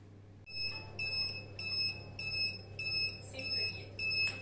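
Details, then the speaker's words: Inverter running a gas boiler and Wi-Fi router from a 12 V 100 Ah Electronicx gel battery, after about 6 hours 10 minutes: short shrill beeps about twice a second over a faint hum, low-battery alarm, battery nearly discharged. "фактично чуєте який писк блимає остання ця акумулятор фактично розряджений тому будемо виключатися переходить на іншу Батарею"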